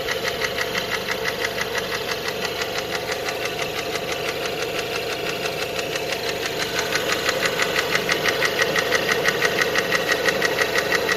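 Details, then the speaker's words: Renault Megane 2 1.6, automatic, after an oil leak; it drives well and holds revs, with a phaser rattle on cold start. Warm idle gives a sharp, even ticking knock about twice a second from the top end, source not yet traced. "Вот так стучит на горячую."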